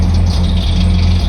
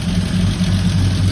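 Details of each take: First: 1976 AMC Gremlin, sat 32 years in a junkyard, first revived and struggling to stay running: heavy, lumpy low rumble with loose rattly edge and uneven beat; rough running, cause not yet clear. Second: 1976 AMC Gremlin that sat about 32 years, first start with nothing touched, starter held a little long; steady, deep, even idle with no misses or knocks, not smoking badly. Normal idle.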